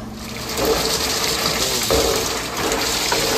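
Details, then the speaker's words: New Hoshizaki icemaker with 48-inch ice head over a 1,000-pound bin, just started up: harvest valve hisses with rushing water, then loose clattering bursts as ice drops into the bin, a normal harvest cycle. "It hasn't dropped yet, so we're waiting. 1,000-pound bin. Wait to hear that precious harvest valve start hissing."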